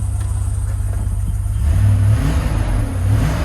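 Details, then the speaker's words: GMC/Chevrolet 1500 pickup after fuel pump replacement, on jack stands: low, steady engine note climbing smoothly with throttle, no stumbling; sounds better than before repair. "Sounds better to me."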